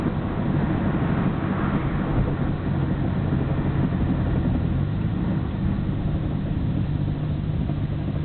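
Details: Nissan Skyline GT-R BNR34, stock Getrag manual gearbox with Nismo clutch, recorded windows open: heavy low rumble with dense clatter at idle. It is abnormally louder than before and lags after pressing the clutch. Unchanged after gearbox oil change; cause unclear, overhaul considered.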